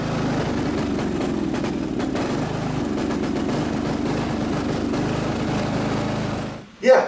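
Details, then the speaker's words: Riding mower's small single-cylinder engine suddenly began running rough while hauling firewood: chugs unevenly with surging beats and dropouts, then cuts out; stutter and sputter blamed on a misadjusted, likely gummed-up carburetor, to be removed and cleaned. "so uh stutter and spidering definitely signs of a Mis adjusted carburetor"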